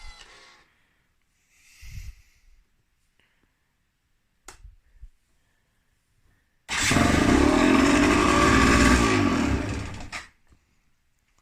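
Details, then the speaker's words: Gilera SC 125 / Derbi GPR 125 two-stroke, first start after head changed twice for coolant leak: a few quiet clicks then catches and runs with even, crisp buzz; starts cleanly, normal. "it starts alright."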